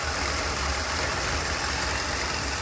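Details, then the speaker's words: 1981 Pierre Cardin Evolution 1 idling in shop: low, uneven lumpy idle with ragged hiss; stays running but runs very rich, smoking out the shop. Distributor found very loose; rich condition still to be chased down. "but it's like poo we definitely need to chase down woo that is fat it's smoking out the shop"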